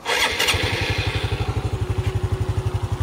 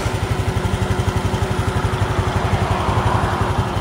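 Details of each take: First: Honda Dash 125 FI motorcycle at 126k km after 4 years of delivery use, just overhauled with a new timing chain set. Catches after a brief crank and settles into an even, steady idle; normal start. Owner notes a slight noise that gets louder when cold. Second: Honda Dash 125 FI after overhaul at 126,000 km (timing chain set replaced), idling: even beat with a faint light tick on top, not loud; owner says the tick is louder when cold; cause not pinned down.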